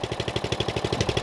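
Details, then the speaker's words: Used Murray riding mower idling, listened to at the exhaust: a small engine with an even, quick pulse and a light rattle on each firing stroke. This valve rattle suggests the valves need adjusting. "now i've already been running this mower and i can hear it has a little bit of valve rattle and you can address that with a customer as well"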